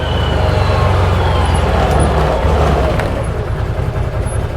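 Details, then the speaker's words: 2021/2022 ODES Dominator X4 LT 1000 UTV in high range, after disconnecting the reverse speed controller wire: deep steady drone pulling evenly to 30 mph with no surging; smooth acceleration. "All right, I'm going to stop, put it back in high, and we're going to hit 20 to show you that now we won't have that vulging issue anymore. 30 mph, no problem."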